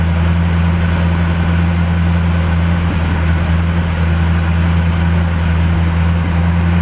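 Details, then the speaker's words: 1949 Chevrolet, warm engine at steady low idle with an even rumble, no knocks, still smoking though the left side has improved a lot; owner suspects valves or upper end of the motor. "You can tell it's still smoking. The left side has gotten a lot better."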